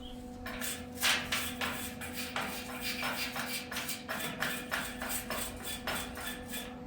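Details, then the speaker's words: Welding the expanded-metal deck of a 2017 5x8 utility trailer through heavy factory paint; irregular crackling bursts start and stop with no steady sizzle, as the arc keeps failing to hold until it burns through the paint: erratic arc on painted metal. "You can hear when she burns through that it's welding."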